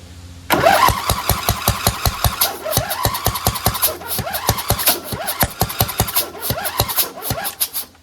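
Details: Craftsman DLT2000 lawn tractor cranking with ether sprayed in: even cranking beats about four per second with one brief stronger catch, never running; earlier popping raised suspicion of a blown head gasket and water in the cylinder, but it is getting spark.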